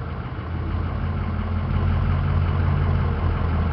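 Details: 2005 Ford E350 diesel box truck, 57,000 miles, cranks right up. It has a check engine light blamed on an emission sensor and an intermittent airbag light. Deep, steady diesel idle with an even low beat, no knocks or misses: healthy.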